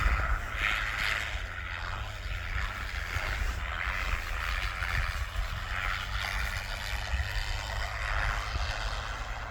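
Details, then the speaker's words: Bombardier wide-gauge tracked machine on final test run after a U-bolt repair, driven at speed with floor out; steady low even drone, no knocks or rattles, running smoothly and normally. "So this new test run here, everything seems to be working good. And he's got it right up at speed."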